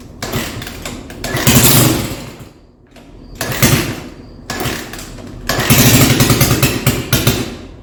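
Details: Quad (four-wheeler) engine just rebuilt and reassembled, first start attempts: fires and revs in uneven surges, dying back between bursts; keeps running only on choke, owner suspects too much air, not enough fuel.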